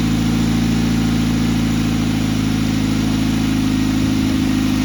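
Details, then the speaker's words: 2006 Ford Focus ZXW wagon, 105,000 miles, after replacing the idler pulley, tensioner pulley and belt: starts and settles into a smooth, even idle with no squeal or chirp, belt tracking correctly. "Not squealing anymore. Our belt's on right, it's tracking. Sounds pretty good for what it is."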